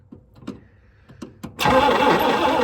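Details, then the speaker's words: 1960 Chrysler Saratoga not run in almost 40 years, starter engaged by shorting the relay while hitting the starter solenoid: slow, uneven thumps then a sudden rush as it spins over; sluggish cranking, suspected solenoid problem, engine has compression. "here we go does not sound amazing that's early starters for you"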